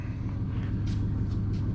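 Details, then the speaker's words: LS-swapped 1994 Chevy Impala SS started after a broken header was welded, running on open headers because the exhaust pipe doesn't fit yet. It has a loud, deep, even V8 idle with no knocks or ticks and sounds good. "Sounds good to me. Yeah, she's still loud. Open headers."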